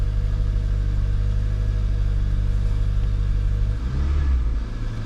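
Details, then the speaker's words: Car with replacement fuel pump from a 2015 Kia fitted, fuel line empty, first start: starts on the first try, deep steady rumble, even and unbroken, settling slightly near the end with no misses or stumbles; runs smoothly. "Here you'll see that when we give it the first touch, well, it started on the first try."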